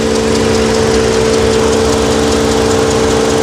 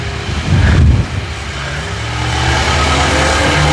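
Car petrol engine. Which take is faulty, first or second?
first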